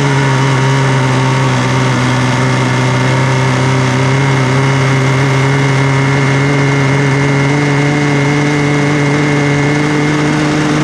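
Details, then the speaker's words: 1993 Yamaha WaveRunner 650LX two-stroke, revived after a seized engine and a new carb, on new mixed gas with the fuel valve turned on: even, steady note at constant pitch with no knocks or misses; it runs all right. "you know what she runs all right let's put some more stuff together on it"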